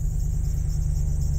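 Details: Ford E150/E250/E350 van started right after fuel pump and fuel level sensor replacement, with about 4 gallons in the tank: low, even idle rumble with a steady firing beat and no knock or misfire; normal.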